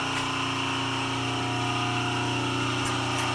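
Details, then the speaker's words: Milling machine on a DIY 3-phase converter: idler motor ran rough until a larger capacitor was engaged to power its third leg, then steady smooth hum with firm low drone. "So you can hear the motor, the idler motor, was really rough until I hit the button to engage the bigger capacitor to supply more power to the third leg of the idler."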